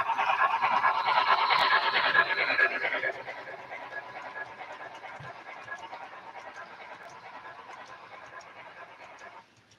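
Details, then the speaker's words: Replacement wheels on a running model train roll quietly with a light, even clatter and clicks about twice a second, no squeal; the originally supplied wheels had squeaked and are being sent back for analysis. "still not a squeaking I think these are I think these are going to be good man those Wheels were bad that came on these things"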